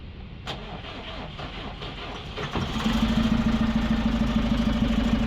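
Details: Eicher BS4 truck diesel after replacement of the radiator fan support bearing, idler wheel and fan belt. The starter cranks briefly and the engine settles into a steady, even idle with no squeal or rattle from the belt drive.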